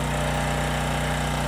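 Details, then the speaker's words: Homelite 5000 W generator with 9 hp Subaru engine under 2500 W load: steady engine drone at constant speed with no misses or surging, though it got loud and almost sounds like knocking; 13% THD; running fine. "Now we're at 2500 W, so it's running fine."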